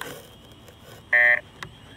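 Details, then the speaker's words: Jumper T16 radio running Yaapu telemetry Lua script during Pixhawk 4 Tarot 650 drone flight, lidar being tested: single bright quarter-second electronic tone; telemetry warning tone, cause suspected, not confirmed. "you can hear those different tones coming out of the Lua script the oppo script"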